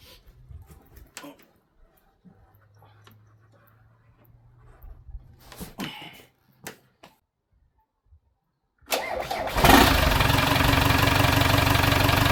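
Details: British classic car left for years in a barn, first start attempt: quiet fiddling, then brief cranking before it catches and settles into a steady idle with no obvious knock.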